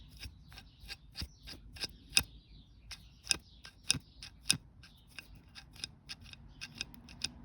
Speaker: now listen there is one point where it jams there see sort of clicks up against it